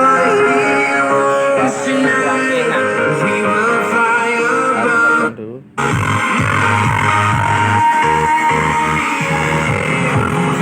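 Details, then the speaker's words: Dolphin Sound DS5A speaker before repair: music loud but rough and raspy throughout (hoarse/serak fault); traced to a leaking capacitor, with both NE5532 op-amp ICs also suspected. "Nah, ini suaranya seperti ini rusaknya. Oke, saya on."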